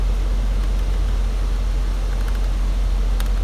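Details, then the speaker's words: 2002 Nissan Sentra cabin blower fan switched on after the airflow selector dial cable was secured with zip ties. Low, steady rush of air with no ticking, rattle or squeal. Normal blower operation. "So it looks like I got everything working. I'm going to turn on the fan."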